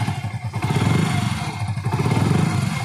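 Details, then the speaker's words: Hero Splendor Pro single-cylinder idling after start: busy metallic rustle and whir over uneven firing beat, noise grows as engine warms and worse in cold weather; slack timing chain noise. "और engine ए रहा है जो काफी ज्यादा सम्मत का sound है और जैसे इंजन गर्म होता है तो काफी ज्यादा साउंड बढ़ जाता है"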